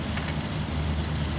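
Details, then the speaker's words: 2004-2006 Dodge Durango 5.7L after replacing a noisy, overheating alternator with a unit from a 2008 Ram: steady low idle rumble, even beat, no whine or squeal, old noise gone; charging over 14 volts; normal idle. "okay so it definitely stopped all that noise that was going on and there's a lot of excess heat coming off of that old one as well"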